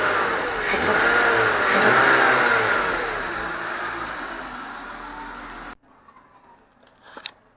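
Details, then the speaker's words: BMW E46 323ci M52TU engine after repairing a DISA valve that would not hold vacuum: revs up cleanly and falls back smoothly before shutting off, no hesitation or odd intake noise; earlier revving noise seemingly gone; DISA fixed. "so it sounds pretty healthy um before when you rub it up it used to make a little sound and now I think it's gone"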